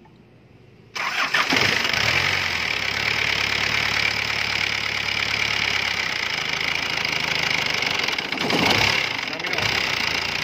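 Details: C240 diesel with a diaphragm-type injection pump, previously smoking white, misfiring and idling wild: cranks and catches at once, then a steady even idle with no hunting or surging; normal start and idle.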